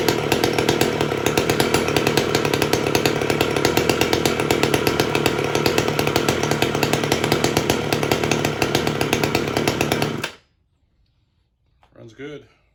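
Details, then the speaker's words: Stihl 015L chainsaw rebuilt, with the carb reworked because it was running too high: a steady, crisp high-pitched buzz for ten seconds, then a clean cutoff, running smooth and healthy. "good so we'll sharpen the blade or the chain and uh that'll be it but runs good sounds good"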